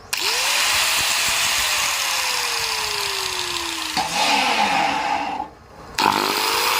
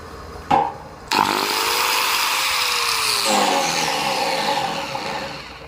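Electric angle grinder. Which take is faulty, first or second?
second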